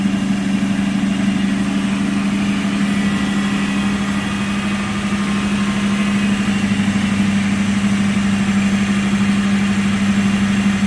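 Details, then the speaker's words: Lexus LX470 V8 cold start, temperature gauge at cold, secondary air injection running before shutting off: smooth, even low rumble with a steady hum, no ticks or misses; normal cold idle. "so you can see the uh temperature gauge is buried so you'll hear the secondary air injection shut off here in just a second"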